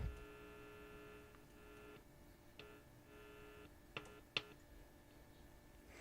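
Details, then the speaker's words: 1956 Zenith Z733Y AM/FM clock radio on a dim bulb after IF can silver mica recap, neon lamp lit showing power: only a faint low steady hum with a few clicks, no station audio; dead radio. "Got a neon light, so I know it's got power. Well, and the dim bulb came up. That sounds like a dead radio."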